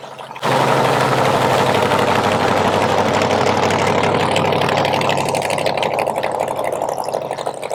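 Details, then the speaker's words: 1970 Chevy Nova SS funny car, 540 big-block with twin turbos: loud, lumpy idle with uneven pulses about three per second while each cylinder is checked by hand; a cylinder is suspected not firing or firing weak, likely front number 2. "So what you're going to see is Riley's going to go around. He's going to put his hand over each cylinder like this. And what it's going to do, it'll let him know which cylinder is maybe not firing right or firing weak."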